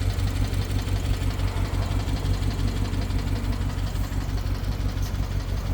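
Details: BMW 750Li with N63 engine, after fuel injectors and high-pressure fuel pump were replaced. Uneven idle with a fast, fairly regular light tick about three per second; misfire and ticking, owner suspects timing chain, unconfirmed.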